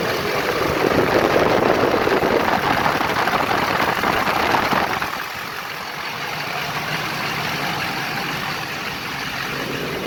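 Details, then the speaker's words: Duramax diesel at idle with old fan clutch welded fully locked as a temporary fix, shroud on: loud rushing roar of air, then drops sharply leaving the idle; locked fan moving full air. "so we'll fire it up here and i need to recharge my ac system because it blew up a seal we're moving some serious air now"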